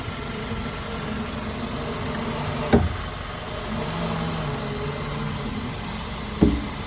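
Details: Steady idle hum broken by two sharp single clunks about three and a half seconds apart, each followed by a short rattle; source of the clunk still unknown.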